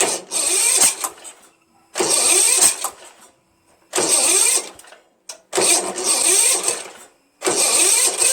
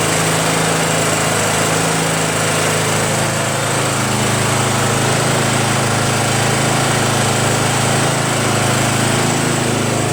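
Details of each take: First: Starter gear hanging up: repeated short cranking bursts about every 1.5 seconds with quiet gaps and no catch. The weak starter smokes, partly burning off penetrating oil. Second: Craftsman (Yard Machines) chipper shredder small single-cylinder flathead engine after starter replacement and valve-seat clean-up: steady, even drone with a smooth exhaust beat, no misses or knocks; running healthy.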